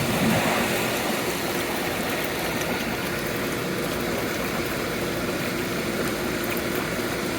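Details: Caldera spa after replacing the heater manifold and refilling, turned back on: a steady, even rush of water and pump hum with no knocks, rattles or squeal. Normal running of the pumps after a no-heat repair.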